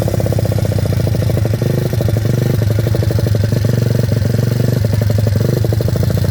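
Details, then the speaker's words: Welsh Pit Bike WPB 170 Detroit, unstarted for over a year, fresh fuel, choke on, primed and kicked, stone cold: quick, even single-cylinder putter at steady idle, no misses or knocks, running like a Swiss watch. Normal cold idle. "Feels fine to me, it's just stone cold. I actually can't believe how easy that just fired up."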